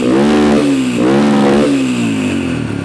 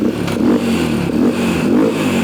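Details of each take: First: Yamaha 123cc single-cylinder dirt bike idling with a few blips after fitting a Temu cylinder kit: even clean firing, idle a little high, faint top-end noise but quieter and less clangy than before. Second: 123cc Yamaha single-cylinder dirt bike rebuilt with Temu cylinder kit, after fixing a fuel leak: steady idle a little high with slight top-end noise, quieter and less clangy than with the old parts.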